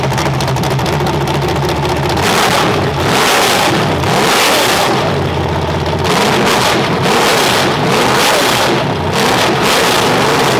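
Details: Crate engine from Collier Performance, compared to an LS, freshly timed and tuned for demolition derby car: crisp revs climb and fall cleanly back to smooth idle, no knocks or stumbles; healthy.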